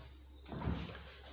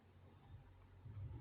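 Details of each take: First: Hisense RS694N4TCF American-style fridge freezer, the good door, in contrast to the other door that scrubs: a single soft thud as it swings shut and seals, with no rattle or bounce; normal door closing. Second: Hisense RS694N4TCF American-style fridge freezer with a defective door: dull thumps and a scuffing rub as the door swings, then a harder knock; the door scrubs against a part, stays open and won't close unless pushed.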